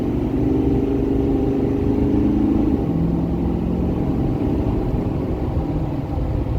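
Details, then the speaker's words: 2012 Ford F-350 6.7 Powerstroke diesel, nearly warm, after new injectors and CP4 pump: full-throttle 0–65 mph, strong even pull, smooth upshift, no stumble or miss; no 88 code set as before; fix appears successful. "We just did a 0 to 65 flat-footed. I'm sure that would have set an 88 code like it has been. I think the fuel system came out good."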